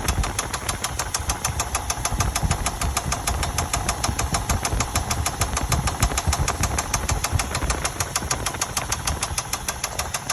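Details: 2000 Chevy Tahoe Limited at steady idle with a sharp, regular ticking knock about twice a second riding over the engine, source unclear; engine knocking noise.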